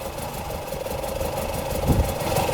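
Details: Morris Minor first start after 21 years stored: the engine catches and runs rough, idle wandering up and down with an uneven beat; uneven idle, cause not pinned down.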